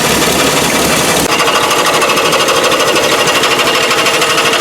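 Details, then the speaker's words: 1955 Nash Custom Rambler engine running on its own after priming, generator loose and water pump turning slowly: loud, harsh rhythmic metallic scraping about twice a second; the second belt pulley looks bright and is suspected to be scraping on something. "noise is just something rubbing. I gotta figure out what it is though. That's not supposed to be that way either, I don't think."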